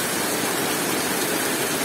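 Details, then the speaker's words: Honda Beat that seized from running out of oil, repaired by replacing the piston; steady even running with no tapping or ticking; connecting rod small end sounds tight, engine smooth. "Untuk suara mesinnya halus ya, tidak ada suara tek ya dikhawatirkan di stang seer"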